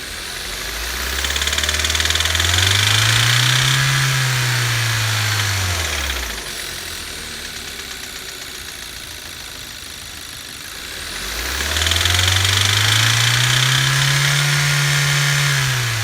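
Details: 2015 Kia Rio 1.6 petrol revved twice from idle, with a steady deep knock growing louder with revs: rod knock from the lower engine. Spun connecting rod bearings have too much clearance, causing loud knocking at high RPM.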